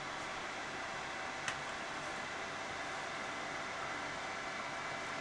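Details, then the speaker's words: Mini heater after replacing broken original fan, running on high speed, settling around 450 watts; quiet even airy hiss, no rattle, ticking or bearing whine – normal fan running. "So, this is the replacement fan. We're on high and we're going to settle down somewhere around 450 watts. That's high speed."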